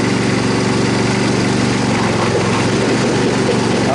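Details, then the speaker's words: Troy-Bilt Super Bronco mower, restored from pieces, single-cylinder engine running with an uneven banging knock about four a second over the idle, after the belt came off and was refitted; source not yet found. "that don't sound good. Something's banging. We got to figure that out."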